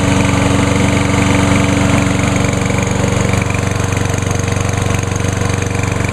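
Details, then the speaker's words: Mower running normally: steady, even single-cylinder chug with a smooth low beat, no misses or surging, running much better than before. "and as you can hear it runs a whole lot better runs just almost as good as the uh 10606"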